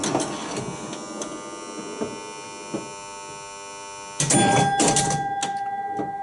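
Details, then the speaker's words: Williams Full House electromechanical pinball: a constant harsh, heavy electrical buzz from the dealer relay coil when the ball drains and until the next ball is up, under the machine's clacks and thumps; the old coil was replaced and the new one buzzes the same. "when the ball drains and one of these lights up there's a very heavy buzz from that coil which is very annoying until you get the next ball up and playing"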